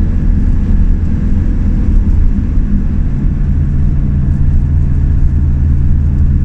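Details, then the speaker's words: Opel Movano camper van at highway speed: steady low howl over heavy road rumble, starting around 80–100 km/h; swapping the front wheels and spare left to right changed nothing, so the tyres were ruled out. "Nic to nie zmieniło. Koło dalej wyje. Tak zaczyna wyjść od 80 do 100 na godzinę."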